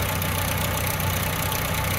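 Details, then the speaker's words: 1997 Chevy S10 idling with a busy clattery, diesel-like rattle up front that worsens as the engine warms; suspected slack timing chain, chain to be replaced. "hope you guys can hear that so it sounds like we have a timing chain from"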